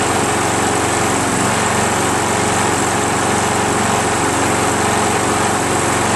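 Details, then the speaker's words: Craftsman 7HP self-propelled mower after valve lapping and carb cleaning, must be primed for every restart: single-cylinder drones loud and even at fast speed once fired; hard starting, owner suspects timing off from a damaged flywheel keyway and a bad carb. "But it won't start again unless you primer it again. Watch. It won't. It just won't start. You always have to primer it again."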